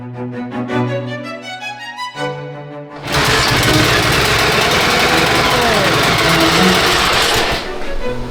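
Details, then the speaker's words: Rebuilt Honda XR600R single, first kick start after engine rebuild, low compression suspected from unbedded rings, oil not yet reaching the head feed; loud ragged uneven beat: rough running, cause not yet clear. "Sounds like a bag of shit."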